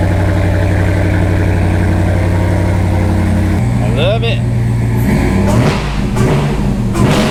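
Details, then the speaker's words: Dodge Ram 1500 regular cab with a swapped-in Hellcat 6.2L supercharged V8, Delta Force intake with velocity stack and exhaust: deep, even supercharged idle with a steady lope, then clean throttle blips that settle smoothly. Normal healthy idle. "man this thing sounds so good with this intake and exhaust you guys going to make the hell Koda jealous"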